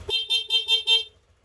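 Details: Honda Click V2 scooter, 112,000 odo, after full service: five short, even toots of a clear mid-pitched horn, steady strength each time; horn works properly.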